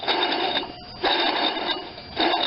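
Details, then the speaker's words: 1993 Chevy S10 with a GM 4.3L engine, removed squeaky alternator spun by hand: gritty metallic rattle in bursts from its worn bearings, where it should be almost silent; the alternator was replaced. "you should basically hear almost nothing she's shot sometimes it's not the power generating parts but the bearings that go"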